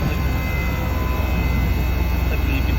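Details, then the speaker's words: Daikin ducted unit that heats 15–20 minutes, then blows lukewarm with no fault code. Phone held close; fans at full speed while the steady compressor hum steps down: the pipe thermistor misreads 31.5° versus the actual 4–5°. "fans are still running at full pace just the actual compressor probably hear it step down again"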